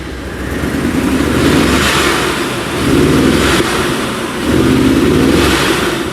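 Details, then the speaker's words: 1994 Chevy Corvette V8 cold start: uneven lumpy idle with a constant miss, feeling like maybe more than one cylinder, unchanged after a new distributor, water pump, plug wires, cap, rotor and plugs. "Constant miss. Feels like maybe more than one cylinder."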